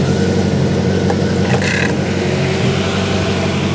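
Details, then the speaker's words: Grinnall Scorpion kit car, second radiator cooling fan plugged in to be carried as a spare, running at idle with plenty of airflow: steady even whoosh over smooth idle, no ticking or rubbing; fan running fine. "and again plenty of waft up here so hopefully I'll be able to carry this somewhere as a spare"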